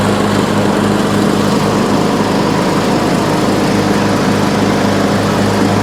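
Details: Troy-Bilt Pony riding mower, revived from scrap after electrical and steering repairs, mowing passes testing the deck: steady, even drone under load with blade running, no misses, knocks or surging; runs excellent, normal.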